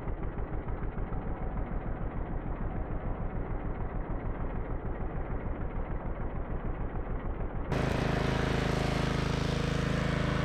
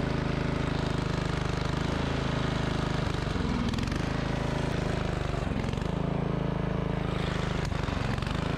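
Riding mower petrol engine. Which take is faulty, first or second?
second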